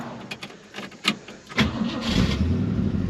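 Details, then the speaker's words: 1965 Ford Fairlane 500, 31,410 miles: brief cranking, then catches at about 1.6 seconds and settles into a steady, even idle; starts right up with oil pressure and charging working; normal cold start. "Starts right up. Radio does not work. Oil pressure's working."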